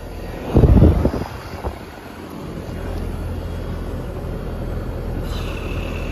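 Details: 2009 Trane condenser, previously not cooling with a non-functional compressor, running after repair: brief handling clatter, then an even low fan and compressor hum without rattles or grinding; normal operation.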